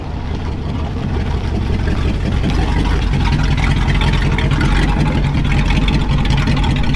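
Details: Ford truck (1997 F250 7.3 diesel and 1968 F-100 worked on) pulling up the driveway after repair: loud, deep, uneven open-pipe exhaust rumble that swells as it approaches; no muffler fitted yet.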